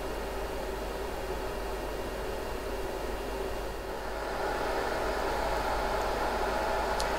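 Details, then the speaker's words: Riden RD6012 power supply with its repaired 800W switch-mode supply, about 1.5 hours into a load test started near 720W: a steady, airy fan rush with a faint whine. The cooling fans run hard but healthy. "the fans are getting a bit noisy on the conkins so um i'm not quite sure if you can hear me or not they're supposed to do that that's just because they're pumping out a lot of"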